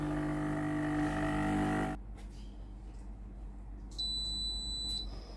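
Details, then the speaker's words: Philips PSG8040 steam iron after board repair (would not switch on, three broken parts): steady pump buzz cuts off, then one long high beep as it is heated and ready; normal ready beep, steam then works normally. "machine est maintenant prête à l'emploi."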